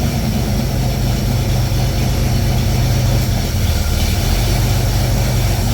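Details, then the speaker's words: Pontiac Fiero at idle, A/C compressor short cycling from low refrigerant charge while refrigerant is added: loud steady idle whose low drone dips and returns every few seconds as the compressor cuts in and out. "so that's what it's doing short cycling there's not enough in here"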